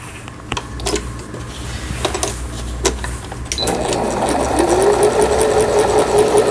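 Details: Singer Computer 9780, Japanese-domestic, used about 10 years, post-repair after it seized from a needle-damaged bobbin case and misangled hook race: handling clicks, then a smooth, steady middle-speed hum with even needle strokes, all functions normal.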